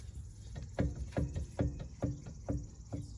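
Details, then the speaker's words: Acura with newly installed brake calipers: dull, low thumps about twice a second while driving, caused by a caliper that is still loose on its mount. "So I recently installed some new calipers on my Acura, and I realized I hear some thumping whenever I'm driving."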